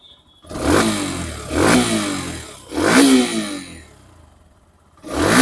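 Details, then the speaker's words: Hero Xtreme 125R small single-cylinder engine revved freely up to 9000 rpm after a long ride; three clean blips climbing high and falling back smoothly, no knocks or rattles. Healthy, smooth engine. "सुनी आपने engine की आवाज मतलब मैंने 9000 RPM तक में लेके engine को रैव कर रहा था हाई रविंग कर रहा था"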